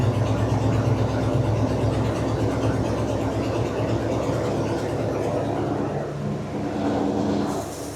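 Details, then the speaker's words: 1981 Jeep Wagoneer Limited, AMC 360 V8, revived after sitting 20+ years: runs steadily with an even low drone, easing off near the end, no clatter or banging; gauge barely leaves 0, so the oil pressure sender is suspected junk. Normal running. "Well, now I'm wondering if our sender's just junk, because it obviously has oil pressure, because this thing is not clattering and banging anymore."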